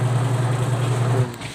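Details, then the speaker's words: Washing machine motor after replacing weak capacitor with new American Home unit (previously only hummed): strong steady low hum for over a second, then eases off; running normally and strongly. "Okay na. Malakas yan."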